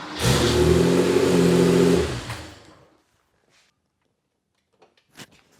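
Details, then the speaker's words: Porsche 911 with 915 transmission during starter swap and current-draw testing: quick even cranking catches within about two seconds into clean rev, then shuts off. "Every time you start it, it has a cold start procedure. So it might be running a little more fuel in it and it's just changing the way it starts."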